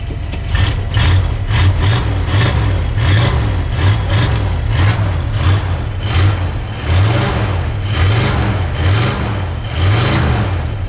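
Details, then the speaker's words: Old carbureted Ford cold started in sub-zero snow with about 5 pedal pumps, choke on; deep, loping V8 idle with an even pulse and mellow exhaust through newly fitted mufflers, no misses, sounding healthy. "Boy, don't they sound good once I put some mufflers on them."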